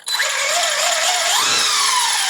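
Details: Team Corally Punisher 4 1/10 4S monster truck, motor spun up with the car lifted after ESC throttle calibration. Clean high whine climbs smoothly with throttle and holds, no gear ticking or grinding; normal motor spin-up.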